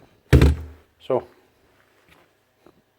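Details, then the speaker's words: Makita DBN600 nail gun after replacing broken micro switch: two sharp solid firing thumps a second apart, driving cleanly and working with no problem. "does it work sure what it be wrong with that working away no problem"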